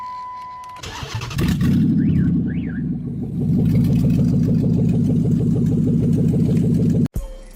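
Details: 2005 Chrysler 300C 5.7L Hemi after a rebuild: the starter spins the engine at an even, steady rhythm but it never fires. Owner reports spark, fuel and air present; crank, no start.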